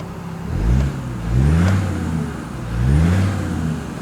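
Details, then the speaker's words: Land Rover Discovery diesel with the wastegate actuator adjusted two turns, heard from inside the cabin: engine surges in waves with a faint high turbo whistle rising on each pull; normal, loud turbo spool. "don't know whether the camera is picking it up but you can hear the turbo in here you can hear that whistling in here as well sounds the nuts man"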